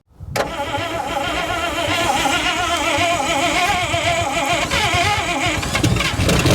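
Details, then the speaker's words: 1955 Pontiac, one owner, sat about 42 years (since around 2000 or longer), run before its carburetor rebuild to check engine health: brief crank, then it catches and runs rough and uneven with busy clatter. Condition is still unclear, rod knock not yet ruled out. "um we're going to try and run it anyway just to see if the engine sounds good and healthy um cuz you could rebuild the carb and then put it on and it's got a rod knocking or something else"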